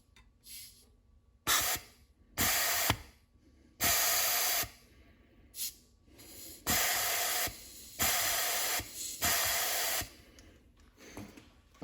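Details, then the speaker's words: Mustang automatic transmission rebuild, forward clutch drum air test: long uneven hissing blasts with no piston apply clunk; drum won't hold air pressure, clutch pack falls back. Owner suspects testing at an angle popped the seal. "we definitely have a problem here um so i'll find out what's going on because uh air pressure won't hold uh the clutch pack uh together"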